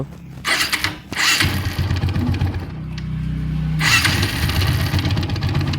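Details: TVS Apache RTR 160 single-cylinder engine with a rough, clattery mechanical noise rising with revs; the magneto-side engine cover is to be opened, after draining the oil, to find the source.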